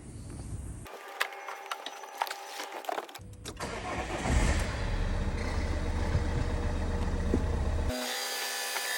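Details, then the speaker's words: 2013 Vauxhall Insignia 2.0 CDTI diesel (A20DT) just after timing belt and water pump replacement: cranks, catches and settles to an even, steady idle with no knocks or rattles; auxiliary belt running true. "So that's struck up nicely there, everything sounds spot on."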